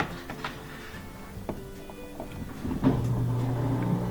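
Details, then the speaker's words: Whirlpool front-load washer with a blinking door-locked light, powered back on after a 5-minute reset: clicks and clunks, then a steady low drain-pump hum that keeps running; drain suspected blocked, water not clearing. "Drain fired right up, you can hear that. So it looks like it's got the same thing going on. My guess is that the drain is it's blocked."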